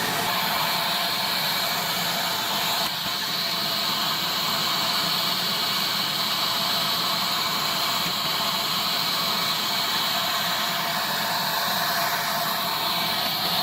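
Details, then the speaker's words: Dustram PulseRam self-cleaning tile/flooring removal vacuum compared against Pulse-Bac 1000/Pro 311, running with its twist-lock filter removed: loud, steady, high airy rush with no pitch wobble or rattle. It runs normally, just noisier than with the filter on. "so it's very easy to put on and off right there this is what it sounds like when the filters off of it"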